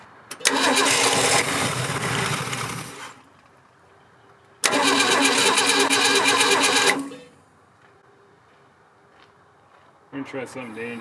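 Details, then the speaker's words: 1967 Ford Bronco parked in the woods since 1996 (26 years), carburetor shot and throttle frozen: two long steady cranking bursts with no firing. Cranks but won't start; owner suspects no fuel and a carb needing rebuild. "i don't think it's getting any fuel gentlemen"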